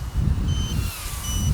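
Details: ARFun 95 Pro brushless micro quadcopter in flight on a fully charged battery: two short high-pitched beeps repeating non-stop over wind noise; voltage warning beeping despite being within range, likely needs voltage setting adjusted.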